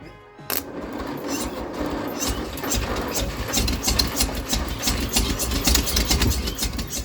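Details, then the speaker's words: Leyland/Austin/BMC FG COE truck (owner thinks Austin), fed hot 98 unleaded fuel: stumbles along with lumpy, uneven firing, missing beats and irregular exhaust pops on only some cylinders; two cylinders dead from stuck valves, being worked on to fire. "So we're going to try and get the other two cylinders firing up."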